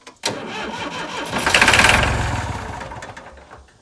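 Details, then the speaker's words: Massey Ferguson 30B loader diesel, sat over 14 years, jump-started: steady cranking about four turns a second that never fires. Cracked fuel-water separator drained the lines; air in the lines suspected. Cranks, won't start. "he's just got some air in the lines i think all right so since it was out of diesel there was a crack in the fuel filter the fuel water separator on the other side so it drained out all the diesel that has been in the lines over the years"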